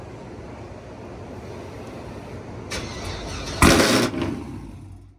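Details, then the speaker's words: Car started on remote start on second try: about three seconds of steady cranking before the engine catches with a sudden loud burst, then fades off; hard cold start. "Whoa. Okay, the second time. Man, it's a hard cold start right here."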